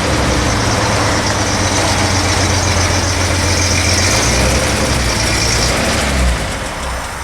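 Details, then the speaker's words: Vintage Toyota Land Cruiser (stated as 1979 or 1972), started cold after being pulled indoors on fresh oil: the starter labors while cranking, then the engine runs with a heavy, strained three-to-four-pulse beat. Ignition timing is over-advanced; the mechanic suspects non-working vacuum secondaries or mechanical advance. "you can hear it load or labor the starter labors when it cranks over it and then it fires um timings Advanced I'm gonna guess the vacuum secondaries are not working or the mechanical Advance is not working"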